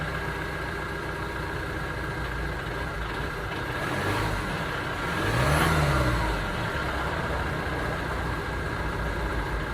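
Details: 2009 Ford Transit Sport diesel van idling with an uneven, lumpy chuffing beat, then a brief rev that rises and falls; rough running from an engine misfire.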